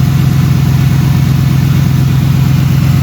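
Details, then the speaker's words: Ford F150 10th gen extended cab with 4.6L V8, possibly Flowmaster exhaust: deep, steady idle with an even low throb and no obvious hiss; owner asks about a vacuum leak, not confirmed. "4.6. Can you hear a vacuum leak?"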